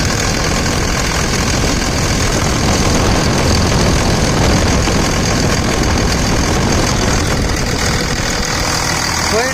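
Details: 2000 Dodge Ram 2nd-gen Cummins diesel after bypassing AC compressor pulley with 65" non-AC serpentine belt: even idle clatter about three beats a second, no squeal or slapping; tensioner steady, ample clearance; normal diesel idle.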